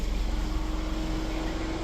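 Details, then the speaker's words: MiniVan idling without a temperature gauge, coolant reaching 108 degrees: steady low whooshing drone with a fixed tone, no rattle or scrape; both radiator fans switch on and run normally. "il fonctionne aussi l'autre. Les deux fonctionnent donc en fait c'est bon."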